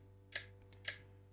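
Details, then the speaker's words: Evinrude E-TEC 60 hp outboard with its EMM (ECU) repaired, injector actuation test run from diagnostic software: two sharp, crisp clicks about half a second apart over a quiet hum, the injectors firing normally. "आप इस मशीन में सभी चीजों का परीक्षण कर सकते हैं, नोजल को इस तरह क्लिक करते हुए सुना जा सकता है"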